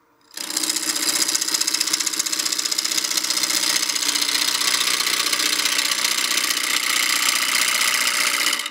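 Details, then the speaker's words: Wood blank being roughed to round on a lathe for a succulent planter: fast rough cutting chatter with a steady pulsing thump each turn as the gouge skips over one or two remaining flat spots of the out-of-round blank. "you can hear the sound it's making we're getting closer to round if I put the tool on the top it's skipping just a little bit so there's just one or two flat spots left"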